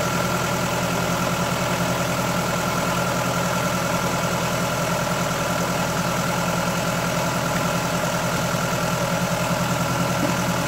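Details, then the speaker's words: 2000 Mk5 Ford Fiesta 1.3 Endura OHV petrol engine, warm and idling, with a light fast tapping and clashing as if something is loose: excessive valve clearances, before adjustment. "Got a Welland smoker. You can hear it like the tapping, clashing, like something's loose. Very smoker."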